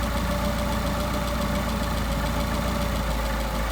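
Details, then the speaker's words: Solex-carbureted engine, idle mixture screw turned in from about 700 rpm idle; idle sags and turns lumpy, uneven beat with falling rpm; leaned idle mixture makes it run rough, so screw is backed out. "Here our engine degrade. Now we're losing RPM. Alright, so we're going to back it out."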